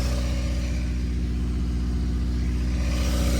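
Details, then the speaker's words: Built Honda D16Y8 in an EG Civic, first run after rebuild with 10W-40 and ACL bearings (clearance unchecked), no coolant: deep, even exhaust rumble at slightly high idle, no knock underneath; it knocked before the rebuild. "Uh yeah, it just has no coolant. But guys, it sounds great as it was knocking before."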